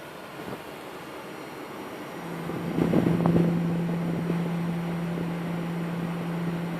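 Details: Palit GTX 780 Ti graphics card: a steady loud whine comes in after two seconds and holds an even pitch over faint hiss, choke coil whine like a jet warming up its engines.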